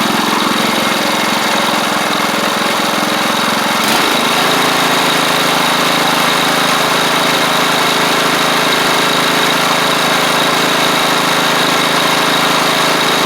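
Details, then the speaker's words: Troy-Bilt Pony riding mower, new engine with new head gasket: single-cylinder holds a steady, even idle, smooth beat, no knocks or misses; sounds good. "Yeah, sounds good."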